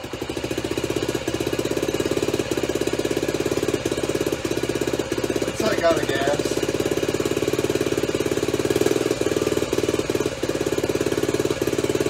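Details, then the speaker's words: Honda Trail 90 (CT), just reassembled, idling with a steady putter broken by occasional skipped beats; misfire kept worsening until it stalled, persisted despite plenty of fuel. "I started it and remember in the video it was it was running it was running kind of had a miss so a minute is like running running Miss running running Miss"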